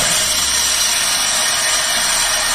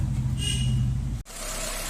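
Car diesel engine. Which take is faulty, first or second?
first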